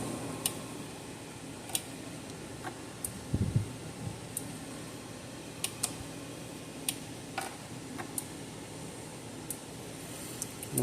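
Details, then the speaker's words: Gallagher S100 solar fence charger, about 5 years old, after module replacement repair; sharp dry ticks about every second over faint hum; tested about 8.5–8.6 kV open circuit, 3.3 kV on 500 ohm load; normal pulse clicking. "hear it clicking probably good to go"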